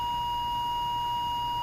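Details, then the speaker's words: Emerson R-156 electrodynamic speaker with new field coil, original cone and new cardboard gasket, field coil powered: pure steady 1 kHz test tone, clean and even, no buzz or rattle; normal reproduction. "there's 100 Hertz and there's 60 Hertz and the great thing at 60 I don't hear the voice coil rubbing"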